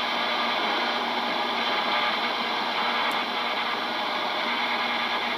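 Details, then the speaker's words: GE P-975D radio after FM oscillator adjustment, AM band: no stations, only steady hiss and buzz across the band; caused by a phone charger plugged in behind the radio. "okay i think i see it down there we go my phone charger was plugged online"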